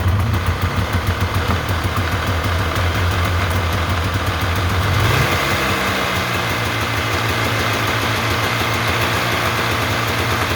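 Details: 1993 Polaris Trail Boss 350 two-stroke that sat 10+ years, revived with new plug, premix fuel (oil pump not primed), choked, carb untouched, no coolant: it buzzes at fast idle, then drops to a rough, uneven low putter; it runs again.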